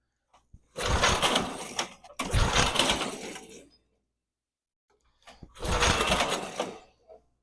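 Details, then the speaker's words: Barn-find Snapper chipper shredder, 8hp Briggs & Stratton, after carb cleaner: engine catches, runs about a second, fades and dies, repeatedly. Stalling from a gummed-up, dirty carburetor that needs disassembly. "yeah that carburetor definitely needs some more work it's wanting to go but it's just not wanting to stay running under its own power"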